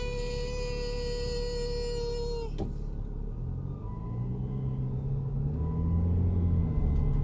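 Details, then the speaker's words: 2011 BMW 335i while driving: a steady mid-pitched whistling buzz over the engine rumble when the throttle is applied; it stops in neutral and returns in drive. Earlier it gave a jumping feeling while parked. Cause unknown. "it's doing it as I hit the gas so it's really strange it just started doing it what it was parked so when I put it in neutral it stops one Drive is doing it again"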